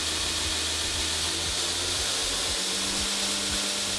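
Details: Newly installed 2x72 belt grinder on its test run: steady even whir with a bright hiss of belt on the wheels, no knocks or rubbing; runs smoothly and healthy.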